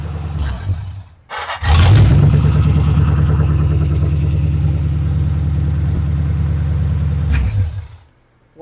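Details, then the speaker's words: Ford Flathead V8, about 265 cu in, 4-inch stroke, overbored, four-barrel carburetor, on a run stand: starts instantly and settles into a deep, even low burble with a steady beat, no knocks or misses; healthy idle. "that's beautiful. It starts right up. You're going to have another happy customer there."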